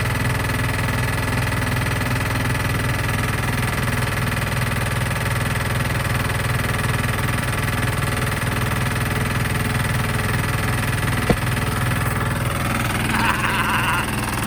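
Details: Sykes GP80 diesel water pump with Lister TR1 engine, cheap auction buy, after starter rebuild, exhaust hosed into catch can for oil spray: steady, even diesel thump at constant speed, no knocks or misses. Normal running.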